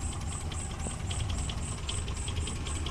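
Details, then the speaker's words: Suzuki Carry Extra that shook and limped, after replacing one dead spark plug: steady, even idle below 500 rpm with light regular ticking, no stumble or shake; normal idle. "yang penting sekarang sudah enggak goncang dan mesin bisa langsam ini RPM nggak ada setengah lur dan memang mesinnya masih stabil"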